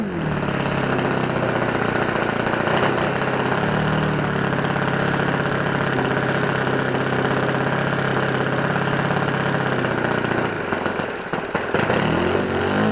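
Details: OS FS 91 Surpass 15 cc methanol four-stroke on what is probably a Graupner 14x7 prop, breaking in a new ring after a crash rebuild; high, even buzzing drone with a soft rich burble holding steady speed, a healthy engine set very rich for break-in.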